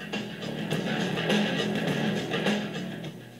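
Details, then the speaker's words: Computer speaker's small built-in amplifier, fed from an iPod at about a quarter to a third volume, overdrives into distortion; guitar-driven music sounds harsh and fuzzy at high volume. "now you could hear how distorted that was I'm using the amp that was built into this thing"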